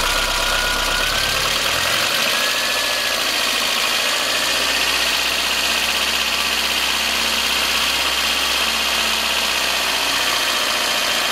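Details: VAZ 21093 fuel-injected engine, cold start: light, quick tapping over the idle from the top of the engine, fading as it warms; owner suspects valves, unconfirmed.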